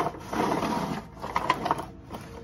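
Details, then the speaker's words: Trash-picked Bissell Powerforce Helix Turbo 68C71 vacuum with a broken foot release and locked-up brush roll, rolled across the floor: dry, uneven scraping and rasping from the wheels. Noisy wheels, cause unknown. "so yeah they don't sound very good"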